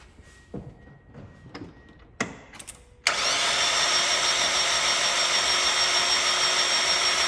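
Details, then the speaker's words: Spec Miata MX5 cranking with the cam angle sensor unplugged: after a few clicks the starter spins fast and even with no compression pulses; cause not confirmed. "okay that's it so as you heard it's just spinning it's just going there's no compression usually when a miata overheats that's what i hear i hear it just spins like that"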